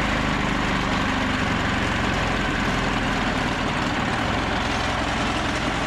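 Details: Old 2-cylinder diesel, believed Cummins, off a generator, on a sawmill; not run in 6–8 months. Steady low clatter, constant beat, no misses or knocks; running smoothly after start, normal.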